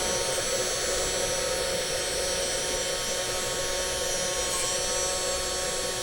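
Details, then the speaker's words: Cheap ANNOY TOOLS CNC milling machine with a 500 W spindle, apparently fixed at 12000 rpm: high, steady whine at one pitch with no rattle; the owner worried about the sound, but the spindle runs smoothly. "Âm thanh, không phải là âm thanh xấu? Nó không có âm thanh xấu? Tôi chỉ lo lắng về nó..."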